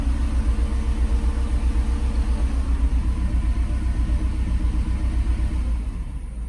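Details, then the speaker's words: Mercedes SL500 after adding Sea Foam to low fuel, throttle body relearned: deep, lumpy idle with uneven pulses about 1.5 per second and heavy shaking, popping seemingly from engine front; owner suspects exhaust leak, cause unconfirmed. "Sounds like a tractor. Frig's sake. Shaking the shit out of it. Sounds like a friggin' tractor."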